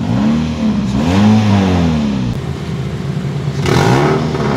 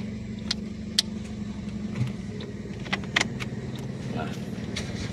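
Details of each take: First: 2008 Toyota Yaris E manual: engine blipped, rising and falling drone with some hiss at the top; revs freely and sounds crisp, but a small leak in the exhaust's middle section is suspected, said to be easily fixable. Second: 2008 Toyota Yaris E manual: steady, even idle with a low smooth hum, no dip or labouring when the AC is switched on, as if no load at all; engine knock sound very normal; AC very cold; normal idle with AC on.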